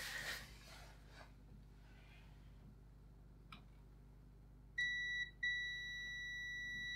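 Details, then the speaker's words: Toshiba 42YL863 LCD TV with no power, previously replaced fuse: multimeter continuity beep, clean and steady as probes touch; fuse has not blown again, still intact. "no it hasn't okay so maybe i'm just not turning it on properly because i'm an idiot"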